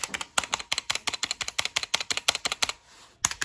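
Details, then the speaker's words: Drop ALT keyboard, unplugged, stock stabilizers: quick keystrokes about three per second with a thin metallic ping after spacebar presses, before swapping to lubed, clipped Zeal Cherry stabilizers. "see we can hear a little bit of pinging noise in there right especially on the space bar"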